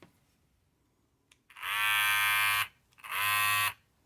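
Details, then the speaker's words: Babyliss 870 hair clipper about five to six months old: two loud one-second bursts of harsh high-pitched rattling buzz, far noisier than normal; worn blade, fixed by replacing the blade. "Yeah, it's pretty loud. Shouldn't sound like that."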